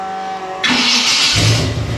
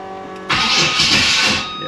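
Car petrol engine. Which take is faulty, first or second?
second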